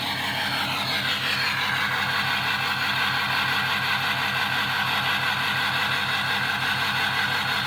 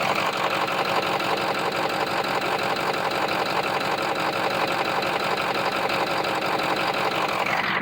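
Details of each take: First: Ford 6.0 diesel truck at idle with loud intake whoosh: uneven, lumpy beat about twice a second, engine missing with a clicking on one side; codes include P0269, suspected bad injector or damaged harness, not confirmed. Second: Ford 6.0 diesel pickup at idle, engine bay mic on the side away from cylinder 3: even steady clatter without the sharp clicking heard on the cylinder 3 side; this bank sounds healthy, owner suspects injector or harness (P0269).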